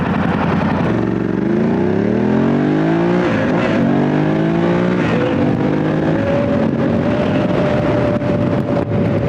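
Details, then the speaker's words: Motorcycle with Motoz Tractionator Adventure tires at lowered pressure on the highway: steady mid-pitched tire howl over engine and wind; quiet at full pressure. "by lowering the air pressure in these tire is howling now he's pretty quiet when it was full pressure but right now you can definitely hear it howling down the highway"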